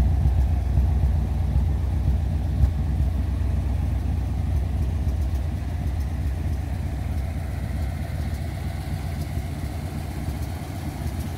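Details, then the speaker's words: 1957 Ford Thunderbird, after a full ignition replacement with electronic module and new coil and a tuned rebuilt carb: lumpy, uneven V8 idle that wavers irregularly; running much better than before, though the electric fuel pump is suspected of causing stalls when hot and is clicking. "oh okay oh all uh sounding a whole lot better we may still have a problem with the electric fuel pump um tends to want to stall out after it gets hot"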